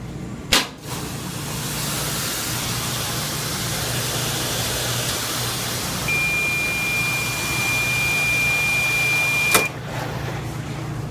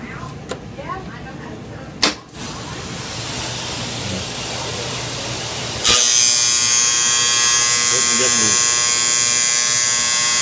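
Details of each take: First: Small Dexter front-load washer after replacing a faulty door lock solenoid that caused intermittent buzzing: steady even hum and rush, no buzzing, runs normally. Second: Small Dexter washer: loud, harsh intermittent electric buzz, like an alarm, that grows louder, from the worn, loose door lock solenoid in the top corner.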